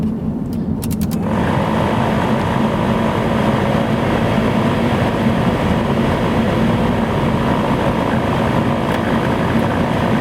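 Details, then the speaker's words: Pontiac Vibe blower motor, fan running; steady rough whirr with an uneven rattle, louder or quieter depending on how the vehicle is turned; worn blower motor to be replaced. "and depending on how i turn the vehicle it may be louder or quieter so i'm going to replace the blower in this video"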